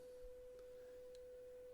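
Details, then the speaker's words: Graetz Super 171W tube radio: a 500 Hz signal-generator tone is fed to the output transformer primary at EL84 socket pin 7. A clean, steady beep comes from the speaker with no buzz, so the output transformer is fine. "actually getting the beep coming out of the speaker so the output transform is fine which is great right"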